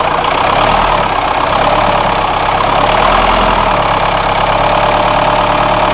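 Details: Renault Espace 4 2.2 dCi diesel at idle: fast, sharp metallic ticking repeating evenly, about eight knocks a second; engine knock of unknown origin.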